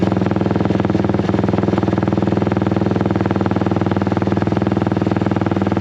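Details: Honda XL175 single-cylinder motorcycle after replacing the exhaust muffler: even, deep thumping idle with steady beat and no knocks or rattles; healthy, not much quieter than before, deeper note.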